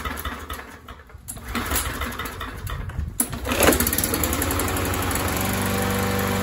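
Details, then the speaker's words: MTD 21-inch push mower with a 140cc engine, sat for a couple of years, being primed with carb spray: after a few rough cranking sputters it catches and settles into a steady, even putter, running well. "sounds like she's running good to me"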